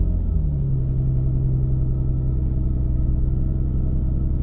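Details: Jaguar X-type after a no-start initially blamed on the fuel pump, found with the air flow meter disconnected (earlier popping and backfiring): even low rumble, settles right after catching with no misses; normal running once reconnected.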